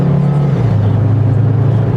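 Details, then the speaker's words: 2004 or 2005 AWD Volvo XC70 salvage auction purchase on first drive home, not yet scanned: smooth, even engine drone pulling cleanly under acceleration, no misses or knocks; no issues getting up to speed. "she's got zero issues getting up and going down the road none at all"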